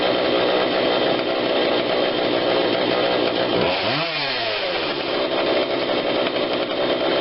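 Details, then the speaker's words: Husqvarna 142 40cc chainsaw, warmed up, after carb tweak with adjuster tool (low adjustment seemingly not needed): crisp even high-revving buzz dipping and picking back up cleanly on throttle; normal running. "i like that that's much better i can't seem to get it into this side for some reason but it doesn't seem to need a low adjustment now i'm not going to force it i think it runs really good considering what it is"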